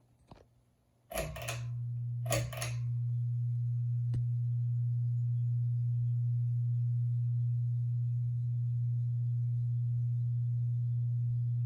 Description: A buzzy 52” Kichler Builder Premier ceiling fan at my Grandma & Grandpa’s house. The buzzing is the worst on medium.